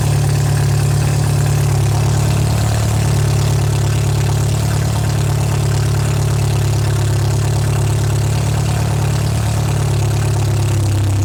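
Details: MGA 1600 roadster four-cylinder under restoration, idling after cooling system work on choke with a couple gallons of fuel (new 4 PSI cap, heater core air-locked, not charging): deep, steady idle, even beat, no knocks or misses; healthy, settled.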